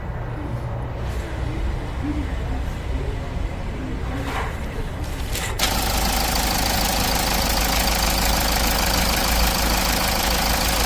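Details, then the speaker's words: Hyundai/Kia R-engine diesel at idle after replacing a badly stretched timing chain set: idles evenly with no chain rattle or slap, confirmed normal. "체인세트 교환 작업 진행합니다 교환 후 다시 확인합니다 정상"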